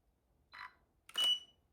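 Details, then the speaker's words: Godox V860II-S (Sony) flash after replacing the broken plastic hot shoe with a metal mount, test shot from the camera: a short hiss as the flash fires, then a second burst with a clear high beep; fires and signals ready normally. "Works perfect. You guys hear the beep, the flash?"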